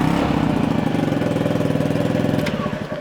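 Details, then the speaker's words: Honda Zoomer scooter: uneven, lumpy idle with a raspy, ragged exhaust beat that never settles. Rough idle; owner says it needs an exhaust pipe. "The bike sounds a bit rough, needs an exhaust pipe."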